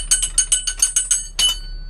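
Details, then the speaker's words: Morbark chipper drum with 9-link flail chains turned over: loose metallic jingling clinks, about eight in 1.5 seconds, from broken flail chain links rattling inside. "You hear that broken? Another broken one. They break, they fly off."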